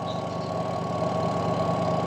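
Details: Washing machine that would only hum and not spin, tested with the brake pulled: a steady low hum with an even whir as the spinner turns freely. Releasing the brake makes it brake and just hum again.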